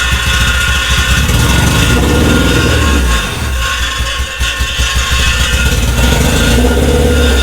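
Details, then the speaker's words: H22 engine swapped into an EG Honda Civic, first start after grounding fixes: rough, lumpy idle with a loose metallic buzz over the exhaust note; rattle from the rear exhaust flange having shifted. "That rattling sound was come from the exhaust. The flange in the back moved. So, that's was making that noise."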